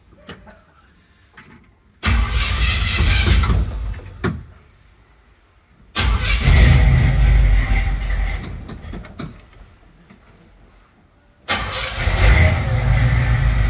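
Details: 1957 Galileo Special V8 during mechanical restoration, in park: cranks and catches in bursts, then deep steady lumpy idle with no knocks or misses; healthy cold start.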